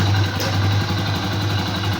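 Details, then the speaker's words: Honda Pop 100 motorcycle with strange engine noise, recently fitted with a new kit: steady idle with hollow dull rattle under exhaust beat; piston slap, scratches on piston, slight connecting rod play measured, not lack of lubrication. "batendo saia tá E aí barulho forte e o estão tá batendo saia"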